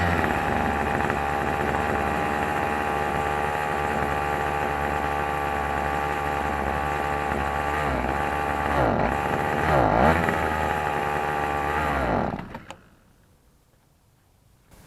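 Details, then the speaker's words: Troy-Bilt XP string trimmer with a Zama C1U carburetor, before cleaning: it idles but dies on any throttle, and runs at high, steady revs only on choke before dying away. Lean running from a dirty carburetor. "it will run at high speed when you got the choke on I'm going to turn the choke on like I was starting it up for the very first time you'll see that that will pull enough gas to get some speed up on it but as soon as you touch a throttle on this model the choke turns off"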